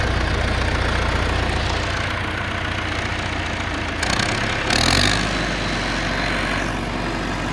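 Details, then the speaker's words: John Deere 450C bulldozer diesel, warmed up after reassembly, fluids topped off, pressures set: idles steady and even with a low regular beat, brief rev and settle midway, no knocks; running normally. "I like it. It's working good."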